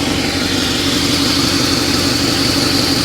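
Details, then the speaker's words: 1953 Pontiac Chieftain, in neutral, warming up (wanted to die off throttle at first): smooth, even idle with steady beat, no misses, knocks or ticks; generator charging 11.3 V at idle, over 12 revved. Normal idle. "let her warm up for just a second guys uh if i take my foot off of the uh off of the gas she wants to die there we go she's running she's happy"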